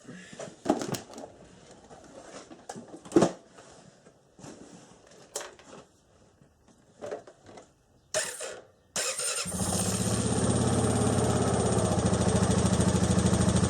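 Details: Honda TRX500FA quad bike after starter motor repair (brush holder replaced) for intermittent button starting: a few clicks and knocks, short crank, engine catches at once and runs steady and even; electric start now normal.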